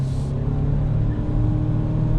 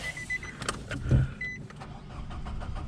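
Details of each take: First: 2021 Nissan Rogue petrol engine accelerating on a warm day with a smooth steady drone and no spark knock after repairing contaminated fuel (ethanol or brake cleaner) in the tank. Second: 2021 Nissan Rogue with fuel contaminated, apparently by diesel, in the tank: low, labored engine rumble with slow, uneven swells when revved and held, producing smoke.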